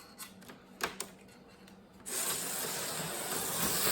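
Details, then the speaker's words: Repaired eBay HO slot car with replaced broken magnet in motor: handling clicks, then steady high whirr rising slightly and staying even with no rattle; runs pretty good and smooth. "It wasn't too bad, but it came out okay. It runs pretty good."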